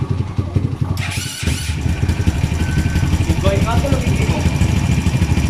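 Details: Kawasaki KLX 150 after fixing a no-start that only clicked the starter relay: small single settles into a steady, even putter after a brief start, with no clicking or stumbling.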